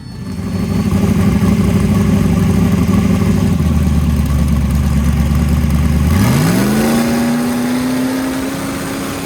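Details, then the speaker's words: Small truck warmed to operating temperature, after boost controller settings were checked. Steady idle, then revs climb smoothly with a rising turbo whir and no stumble or flutter. It comes up on boost cleanly, building 8 psi at 4,100 rpm. "Sounds a lot better. Comes up on boost clean. Build 8 pounds at 4,100."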